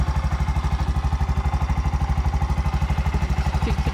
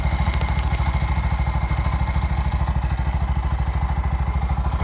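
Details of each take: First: Bajaj BS6 single-cylinder with about 2 lakh km, after timing chain work, running on CNG: steady idle with a light chik-chik tick identified as injector sound, which stops on petrol, not mechanical. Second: Bajaj BS6 with 2 lakh km, after timing chain repair and new clutch assembly; even, steady single-cylinder thump at idle, about two hundred beats a minute, no knocking or rattle, runs smooth.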